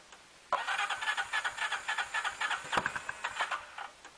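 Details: 2006 Can-Am/Bombardier DS250 ATV, first start in 10 years after a new battery and fresh gas with varnish cleaner, air filter not yet installed. It cranks, catches and settles into a quick single-cylinder putter. Normal start and idle.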